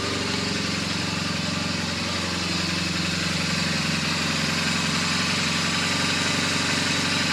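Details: BMW R1200GS Hexhead boxer at 100,000 km service, after rocker arm end play check, spark plugs and coils refitted: even, steady idle with regular beat, no ticking, knocking or misfire; normal idle, left to warm up.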